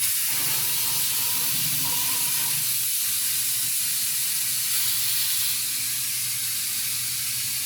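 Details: 1951 Ford Shoebox coupe, LS-swap project, newly plumbed air bag suspension run from battery and switch: loud continuous hiss of air venting, trailing off slightly as bags empty; normal lowering, though owner hears a possible small leak at the rear.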